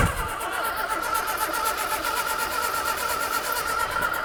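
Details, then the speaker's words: Morris Minor "Mabel" stored over 20 years in a London garage, new battery, choke on, ether fed: steady, fast, even cranking that never catches; it wants to fire but won't start, battery suspected weak, cause unconfirmed. "You know what? It wants to fire, doesn't it?"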